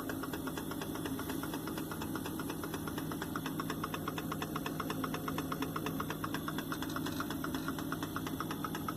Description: My fridge freezer makes this ticking noise when compressor is working.